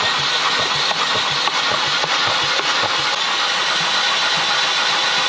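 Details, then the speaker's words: 2012 Chevy Cruze 1.4L after overheating and dying; starter spins the engine quick and free, about two beats a second, with hardly any compression pulses; compression test showed about 30, nothing, nearly 30 and just over 90 psi; sticking valve losing compression. "Anytime you hit the key, it just spins over real free as if it doesn't have any compression, which is a little worrisome."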